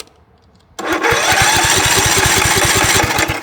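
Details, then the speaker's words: 2006 Cub Cadet LT1045 riding mower, about 20 years old; small engine catches and settles into a fast, steady run that never drops back. Idle stuck high; governor suspected as the cause. "All right. So, it's definitely got to be this governor."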